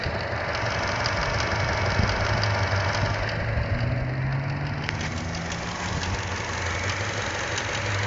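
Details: Chevy Cruze at idle: a light, fast ticking, louder than the normal engine tick, that comes and goes randomly, sometimes after start-up. It seems to come from just behind the engine; the dealer could not replicate it, and the source is unknown.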